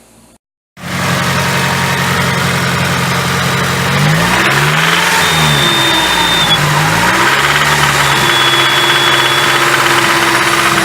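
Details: Nissan SR20DET, about 24–25 years old, in an S14 drift car, after hard drifting: rough-running near idle with a dull knock about three beats a second. Rod knock needing rod bearing replacement.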